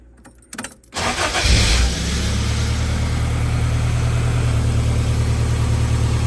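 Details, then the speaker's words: Toyota AE86 after installing a SARD x TecArts catalytic converter with fresh gaskets and retightened loose exhaust hardware that had caused leaks: quick crank, brief flare, then a smooth, even idle with no ticking or puffing; no exhaust leaks. "No leaks at all. Everything's working really well. It looks like this one was a success."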